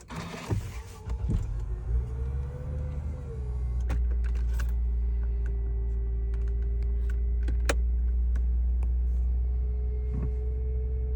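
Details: 2005 Lexus GS idling with a steady mid-pitched whine over the engine, from a failing alternator.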